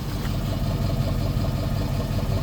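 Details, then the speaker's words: 2010 Ford F250 XL utility bed truck, idling over 40 minutes, listened at the exhaust: steady, even low rumble, no puffing, misses or knocks; idling good, though a faint noise possibly from lack of lubrication was noted. "it's even it sounds good it's not puffing or anything like that it's idling good"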